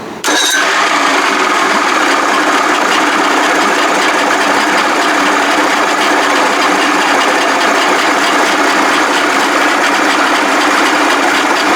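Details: Evinrude 55 hp outboard with fuel in carbs, choked, started via push-button starter bypassing a key switch found giving no spark: brief crank, then catches at once into a loud, steady, even idle with no misses; normal start and idle.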